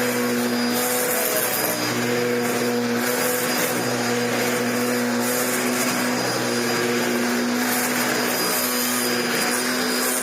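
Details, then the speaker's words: Dyson DC01 upright vacuum under repair: motor runs steady with a wavering droning whine and rough rumble from the brush roll, which improves when the machine is tipped down; bearings and end caps to be swapped. "Well, that noise wasn't anything untoward. Well, it is, but it was nothing a problem. It's the flipping brush roll. It gets better when you flop the machine down."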